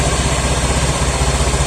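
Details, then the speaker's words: 2016 Honda Scoopy (K44) scooter on used Shell Advance oil, daily work bike: quick, even putter with no knocks or rattles and no smoke; engine idles smooth, only the cracked body panels vibrate. "halus, mulus, gak kedengaran kasar ya."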